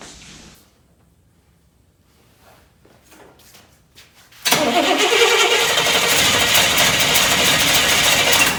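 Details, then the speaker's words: Buick 401 Nailhead V8, second rebuild, first start after reinstall with oil primed, distributor set at number one and electric fuel pump priming: quiet seconds, then catches at once into strong, steady idle, no misses or knocks. "Not expect it to fire up that easy. Listen to how good this sounds."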